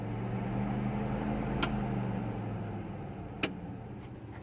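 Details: Pontiac Fiero with 3400 turbo swap, after wiring from scratch, ignition on with fuel pump priming: steady low electric hum with a couple of light clicks, no rubbing or wobble; cooling fan running normally.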